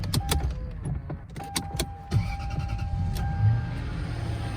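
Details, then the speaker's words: Lexus LS430 steering column tilt motor on first startup after battery reconnection, running its reset routine after seat controller replacement: a few clicks, then thin steady motor hum for several seconds as the column moves; normal. "on the first startup after the battery is reconnected it always does the windows 98 and then the steering wheel sometimes doesn't go down but it'll go back down so i'm gonna let it finish it's doing its thing"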